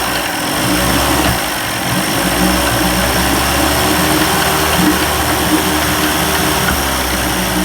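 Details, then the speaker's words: 1990s 30 hp Evinrude outboard, cold start after carburetor rebuild, primed, throttle at high idle: fast uneven idle with dropped firing strokes, missing a bit until warm. "yeah she's cold and she's missing a bit"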